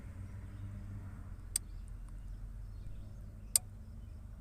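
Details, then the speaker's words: 2002 Buick LeSabre 3.8L, crank-no-start with dead battery: fuel pump relay (39) commanded on by scan tool clicks twice, but no pump whir follows; relay control side power and ground good, fuel pump suspected. "hopefully you can hear the click but the relay is clicking so that proves our control side's good our power and ground for the control side"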